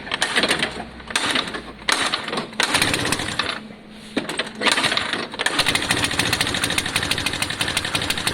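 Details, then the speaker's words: Lexmoto FMX 125cc single after a stator replacement, starting first time but running roughly with uneven blips that fade and catch, then a rapid rough beat; throttle response back to the original fault, not opening fully. Owner doubts a new carb would fix it; suction lines seem okay. "What's interesting though is it's back to exactly how it was originally where it's just not quite it's not quite open on the throttle."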